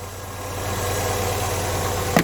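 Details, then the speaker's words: Classic carburettor and distributor four-cylinder, warm with choke off and vacuum advance plugged. Idles steady but high, around 1000 rpm, racing a bit. The timing light shows about 8–10° BTDC, way too advanced, so the distributor is to be slackened off and retimed. "right the timing is too advanced that timing is at between 8 and 10 I'd say about 10° that's timed at that is way too advanced"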